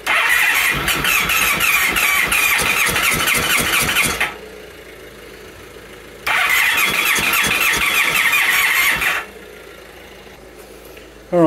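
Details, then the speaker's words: 1997 Honda Pan European ST1100 long-neglected, plugs refitted, on a jump pack with starting fluid: long bursts of steady cranking with a whirring squeal and a single backfire, pausing between attempts, never catching. "let's see what happens a singular backfire one mess with tradition"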